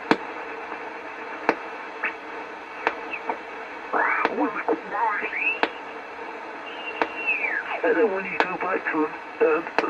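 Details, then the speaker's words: Homebrew 20-meter SSB transceiver on a bench power supply with a wire antenna: garbled sideband voices and drifting whistles come through over a low steady hiss. The receiver picks up 20 m signals fine. "i brought it in and i plugged it into the bench power supply stuck it stuck a wire in the back and plenty of 20 meter ssb signals came powering in"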